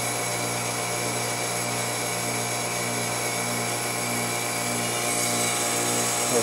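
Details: Trane XL400 2.5-ton 14 SEER heat pump, new CNT02940 two-speed fan defrost board, forced defrost: steady loud compressor hum at fixed pitch with no fan rush, outdoor fan off as the unit runs in cooling; normal defrost cycle.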